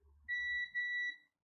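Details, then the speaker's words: Multimeter in diode mode probing capacitors on a dead, no-power Wyze Cam v2 board: two clean high beeps signal a short. Five capacitors are shorted, and a damaged IC is the suspected culprit. Continuity beep indicating short circuit. "and when there's a short, you'll hear that beep. So all these caps here, 1, 2, 3, 4, 5, are all shorted."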